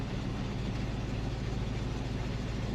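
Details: Chrysler 300 SRT8 auction car with a check engine light on: deep, steady V8 idle with an even low rumble and no knocks or misses; engine sounds healthy.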